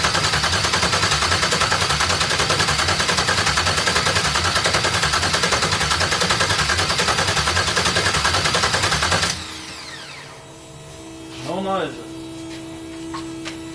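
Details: Audi TT MK1 with LS swap (2001 Chevrolet Suburban engine) on a standalone harness, first start attempt, no ECU communication: steady, even starter cranking about 3.5 beats a second for nine seconds, never catching; no start, ignition not hooked up.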